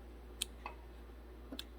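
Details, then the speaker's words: 2006 Honda Civic whose AC compressor isn't running: the clutch coil has continuity, but with the relay bypassed by a jumper switch the clutch clicks in only sometimes. Sharp isolated clicks in a quiet engine bay point to an excessive clutch air gap with too little power to engage. "Oh, that time it didn't engage. There it did. See, it did not engage that time. That's usually a result of excessive air gap on the clutch coil. Hasn't got enough power to engage."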